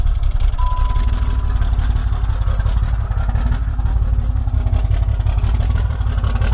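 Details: 6.7 Cummins diesel, bought with a claimed bad injector: heavy idle with an uneven, pulsing rumble instead of a smooth beat; a rough lope whose cause is still undiagnosed, pending a scan tool check.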